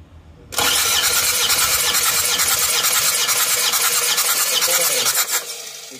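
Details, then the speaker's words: Isuzu Panther diesel cranking compression test, after repairing a leaking exhaust valve that had left cylinder 4 at only 15 bar: even, steady cranking beat of about three pulses a second. Cylinders read about 30-plus bar, a good result. "plus Ya ya siap oke Cepot leasan hasilnya bagus teman-teman ya"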